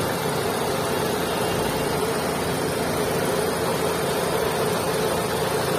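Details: Maruti Suzuki Swift 2022 running near idle: steady heavy mid-pitched drone with a rough, noisy wash; abnormal engine noise, cause undetermined.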